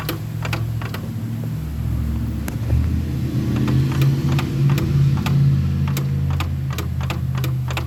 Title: Nissan Rogue "remanufactured " cvt clunking noise coming from Internal bearing. less than 2k miles..